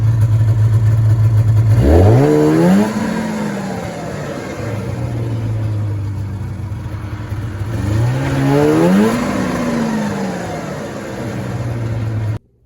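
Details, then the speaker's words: 1994 Polaris Indy 440 snowmobile, rear propped up, airbox fitted: each blip rises, hangs and flattens midrange, bogging before coming on the pipe around 4500 rpm; runs well with the airbox off. "so it seems to be coming onto the pipe around 4500 RPM there's a bog and then it takes"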